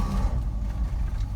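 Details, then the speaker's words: 1959 Ford Fairlane 500 Galaxie Skyliner, 22,934 miles, warm start after sitting a few weeks: fires up instantly, deep smooth steady V8 rumble with no misses or knocks; normal warm start, possibly electric choke. "it literally fired up just like that when we started it um must have electric choke or something cuz it started really well"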